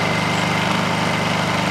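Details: Honda inverter generator on Eco Throttle, said to run 15 hours on one gallon: a steady drone at constant pitch with no knocks or surging. Normal running.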